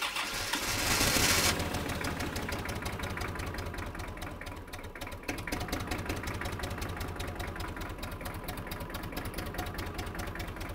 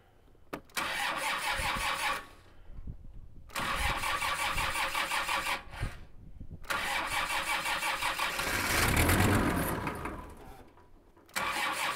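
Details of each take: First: Kubota M5700 tractor, 5-cylinder diesel of almost 60 hp, retested after a stalling fix: fuel lift pump and filter replaced, tank obstruction removed, lines blown out. It settles into a steady, even clatter at a brisk idle with no stumbling. Runs normally. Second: Kubota M5700 tractor, 5-cylinder engine of almost 60 hp, just after fuel lift pump replacement: engine catches, runs a few seconds, dies, fires again and fades. It still stalls; the new lift pump didn't fix it, so fuel supply to the pump is suspected.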